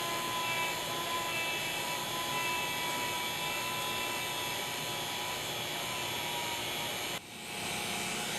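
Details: Vacuum pump evacuating the lines of a 9,000 BTU ductless heat pump install for about half an hour, pulling toward 300 microns or below. Steady high-pitched even hum until it cuts off. Pulling down normally; later held at 200 microns, no leaks.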